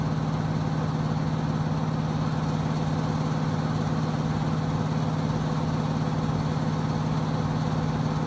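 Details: Trane XB HVAC unit, under a year old, making a loud, steady low drone with strong hum around 150–200 Hz in heating mode, after the air filter was cleaned of construction dust.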